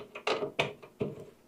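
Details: Three short bursts of rapid clicking about a third of a second apart: the cordless screwdriver's clutch slipping and ratcheting, set to the wrong clutch number, while driving small motherboard screws into standoffs on a Gigabyte H610M board during an Intel i5-12400 PC build.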